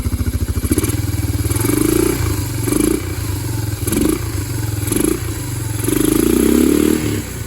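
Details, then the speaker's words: Yamaha Moto 4 (225/250) ATV single after bent-valve rebuild and exhaust valve clearance set to 0.006, slightly warm: even idle thumps picking up cleanly through several throttle blips, no tapping or clicking from the top end. Normal idle and revving. "See how smooth it runs now? No tapping, no clicking. It's nice and smooth."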